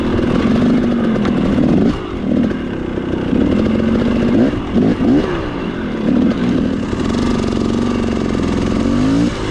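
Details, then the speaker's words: Two-stroke dirt bike with an XTNG Gen3 Pro carburetor: revs rise and sag unevenly with a blubbery, loading-up note and some rattle. It floods rich, then pings, and loads up at low speed; no setting tried has fixed it. "This carburetor is so weird. Rich is flooding 1 second, and then it's pinging because it's bleeding that thing."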